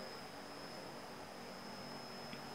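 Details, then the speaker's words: Inverter compressor driven by a modified test board on a hard-to-drive compressor: quiet, smooth, steady hum with no knocking. Very low current draw, running at very low speed, normal. "chạy rất là êm. Mà dòng thì rất là nhỏ. Các bạn thấy chưa? Dòng rất là nhỏ, tức là máy chạy ở tốc độ rất là thấp."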